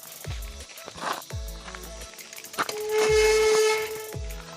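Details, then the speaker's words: Rear disc brake on a disc-brake bicycle bought recently squeals like a truck's brakes when applied; a steady high-pitched squeal rings out each time the brake bites. Owner suspects dust on the disc; fix shown is pouring water onto the disc. "ಈ ರೀತಿ ಒಂಥರ ಟ್ರಕ್ದು break ಹಾಕಿದಾಗ ಹೇಗೆ sound ಬರುತ್ತೆ ನೋಡಿ, ಆ ರೀತಿ ಬರ್ತಾಯಿದೆ."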